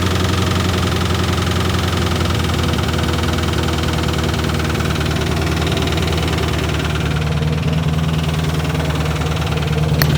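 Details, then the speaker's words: Chevrolet Corvette V8 with newly fitted full exhaust, idling: light quick ticking over the exhaust rumble, plus clanking; owner suspects an exhaust leak underneath and may pull the valve cover to check. Exhaust leak tick at idle, unconfirmed. "Definitely exhaust leak down there. I may have to fuel uh pull the valve cover. See if there's anything obvious going on."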